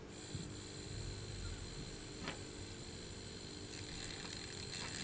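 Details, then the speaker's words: Hornby Jouef Eurostar model train motor (sealed can), bearings just lubricated, bench-run after split drive gear problem: faint, steady high whine over a light hum, no grinding or rattle; very quiet, smooth normal running. "trying to get my connection there and there and it's very quiet you can hardly hear"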